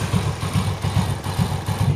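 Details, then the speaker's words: Yamaha Vega motorcycle idling in gear with the brake held: rough pulsing friction whirr from the clutch, smooth in neutral; cause is a worn one-way clutch bushing, fixed by replacing the one-way set. "tapi pada saat dimasukkan gigi dia baru timbul suara gesekan seperti ini saya masukkan giginya nah itu roda berputar ya"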